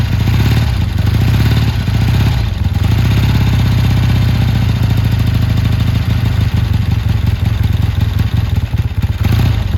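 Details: Triumph T140 twin with new carbs, started after finding an oil-fouled spark plug: steady, even low thump with no misses or clatter, evenly firing; normal running, never run this good.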